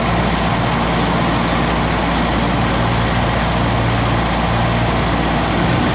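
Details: 1959 Allis-Chalmers D17 tractor after tune-up and new exhaust: strong uniform drone holding constant speed under load, no knocks or misfires; running smoothly.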